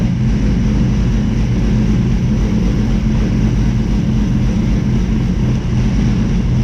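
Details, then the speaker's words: Toyota Supra MK4 700HP build with BC 272 camshafts, ProEFI standalone ECU, fuel pump wired directly to battery: deep, loud, choppy idle with heavy low rumble, a little smoky; normal aggressive-cam lope. "a little smoky up in here you heard them cams you heard the cams"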